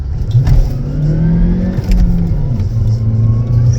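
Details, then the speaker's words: 2012 Chevy Cruze 1.4 turbo, six-speed manual, owner notes a blown head gasket; under hard acceleration a thin whine rises with the engine in the lower gear, like straight-cut gears, fine in third; gear whine under acceleration. "Cut gears. That's what it sounds like. Then you go to third and it's fine. It sounds like straight cut gears, but I'm pretty sure that it's not supposed to have that."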